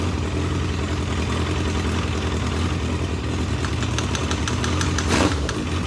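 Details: Legends race car after motor swap, first start-up: low, lumpy idle hunting unevenly with sharp ticks near the end; carburetor flooding badly on a system meant for a two-pound fuel pump, so carburetor must come off.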